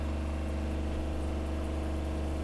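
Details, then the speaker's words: Gasland CG360LP tankless LP water heater after troubleshooting a repeated A4 alarm where it never showed flame: igniter clicks, then a steady even fan and burner hum; it lit and runs normally. "I hear it clicking. It lit. It lit. Woohoo."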